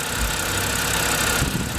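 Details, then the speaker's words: 2007 BMW 328xi E90, about 140,000 miles, stalling, code P0012 with suspected faulty VANOS solenoids: uneven idle with vibration and a faint steady whistle above the engine note; rough idle with whistling, cause not pinned down. "I want you to hear the whistling sound and I want you to also civic captive some of the weird vibration is happening when it limits my idol"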